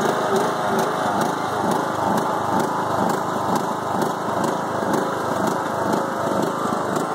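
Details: 5-year-old Craftsman mower with Briggs & Stratton Intek 20HP, after a head gasket change following hydrolock: uneven, lumpy rough idle surging about twice a second; it also bogs while mowing.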